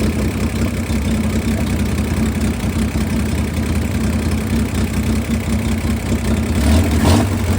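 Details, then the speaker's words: 1962 Chevy Corvair flat-six that sat 40 years, with a rebuilt carb, gravity-fed fuel and no choke; it holds an even, steady low putter with no misses or knocks, a normal idle. "Sounds like a bubble gun. [Music] [Music] All right, it's idling."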